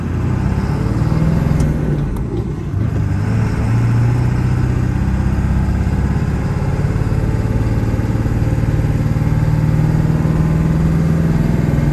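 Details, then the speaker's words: 2000 Ford F-350 dually 4x4, 7.3 Powerstroke diesel, six-speed manual, 71k miles, fully serviced, driving uphill through all gears: deep, even drone with no chirp, grinding or clutch shudder; drivetrain healthy. "we'll head up the hill here the 7-3 run as well as the six speed through all the gears and here for yourself how it doesn't chirp grind or have any issues at"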